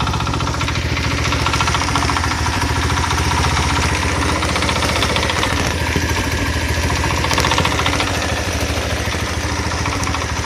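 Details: Single-cylinder engine with generator, after the cover was refitted: an uneven quick knock at no-load idle that disappears when throttle is added or the generator lights are switched on. Crankshaft bearings suspected of wearing from the earlier cover misalignment.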